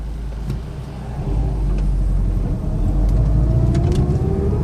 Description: Gear whine from 04 sti in every gear. Front differential?